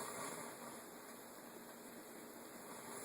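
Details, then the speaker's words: Teac A4010S reel-to-reel deck on tape playback: a steady, even hiss with no rhythm, left channel only, right channel quiet; noise from the left playback amplifier, a suspected PNP transistor ruled out, cause still unknown. "but in tape there's quite a hiss and it's only in the left channel toots nothin the right channel is is quiet"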